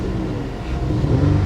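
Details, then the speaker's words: 2014 Dodge Avenger V6 revved on a cold day at auction with an uneven, lumpy exhaust pulse: a dead miss, no smoke beyond slight condensation. Bad gas not ruled out but thought unlikely. "yeah she's got it she's got a dead miss let's make sure she's not blowing any smoke out the back"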